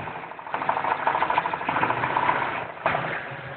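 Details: Modified V8 (long tubes, Comp Cams 503 cam, 1.6 rockers, beehive springs) after hitting 6500 RPM limiter: sharp rapid metallic tick above idle, none at idle, seemingly under intake; oil 60 psi cold, 20 hot; rod, bearing or lifter suspected.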